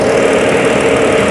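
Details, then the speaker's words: BMW idling after repair of a coil fault that caused misfire code 140601: a brief, smooth, even idle with a steady mid-pitched hum and no stumble or skipped beats. The engine is running normally with no misfire. "Hı hı araç tamamen normal çalışıyor herhangi tekrar yok"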